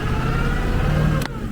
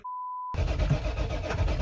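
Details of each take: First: 1996 Ford F-350 crew cab 4x4 diesel, five-speed manual, after running out of fuel, bleeding air from the fuel system and fitting new batteries. Starts and runs with a steady, low, even rumble and a slight rev rise, a normal start. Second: 1996 Ford F-350 crew cab 4x4 diesel, five-speed manual, long-sitting: a low, uneven idle fades and dies; owner suspected gelled fuel or a clogged filter, but it had run out of fuel; fuel starvation.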